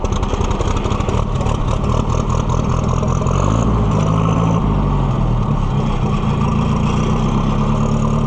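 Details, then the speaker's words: Oliver 550 loader tractor, long abandoned with a dirty carburetor, just started: engine chugs unevenly, speed wavering and stumbling; owner fears it will die and says it sounds better with the choke pulled out; rough running. "You gonna die on me, baby doll? Sound like you are. Why are you sounding like that?"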